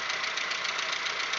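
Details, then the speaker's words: Audi 1.8, 90 hp, after cylinder head repair, warm idle about six minutes after start: very loud, fast, even valve-train ticking that varies over time. Hydraulic lifters are suspected. "вот тут уже на шестой минуте усилил как-то я не знаю в каких мер очень очень громкий стук ну это на холостых оборотах"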